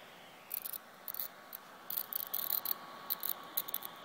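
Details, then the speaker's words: 2010 13-inch MacBook Pro under heavy load burning a DVD: faint hum with irregular sharp static crackle bursts, not from fan, hard drive or speakers; owner suspects power supply, logic board or CPU. "And then sometimes you can hear Some data that no idea what the sound is. It sounds like it's not coming from the hard drive."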